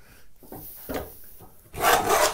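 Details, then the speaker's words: Hand plane on a mahogany board: a few short passes, then one long, even hiss after backing off an iron set too heavy that was digging in; now correctly set, clean cut. "there we go that's better good clean cuts"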